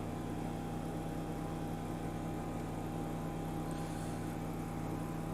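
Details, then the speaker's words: BMW E61 535i wagon, auction car, air suspension after erasing codes with scan tool: steady low electric-motor hum with faint constant whine as the compressor kicks on and raises the car; compressor running normally, valves previously suspected. "I just erased the codes and I hear the compressor kicking on it's raising it's kind of raising it's doing stuff guys it's trying to"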